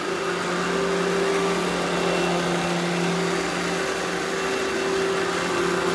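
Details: Eureka The Boss Smart Vac upright vacuum, model 4870 type GZ, bought secondhand, belt replaced; switched on for a demo: steady even motor whine, constant pitch, no rattles, surges or scraping; normal smooth running.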